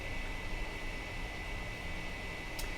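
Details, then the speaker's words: 2008 iMac in a cool room, PC board replacement planned: constant loud airy rush with faint steady tone that never eases, stopping only in sleep; cause suspected, not confirmed. "And the reason I'm making this video is to show that the noise is loud. The noise is there."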